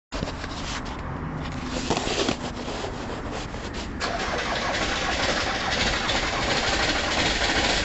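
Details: Ford Transit diesel van, cold start: starter churns at a steady rapid beat, about three to four per second, for several seconds and never catches; hard starting, won't start.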